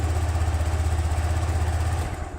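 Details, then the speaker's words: Motorcycle that was hard or impossible to start, after new spark plug fitted: started on first press, now an even steady low putter at idle with regular firing pulse, no misses or knocks. "อ่ะก็ติดนะครับเช็คเดียวติดเลยนะผมหัวเทียนใหม่นะผม"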